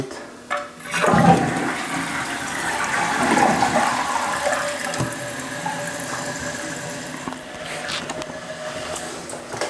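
A strong flush rush settles into a smooth, quiet refill hiss with no squeal or chatter; the fill valve is working normally.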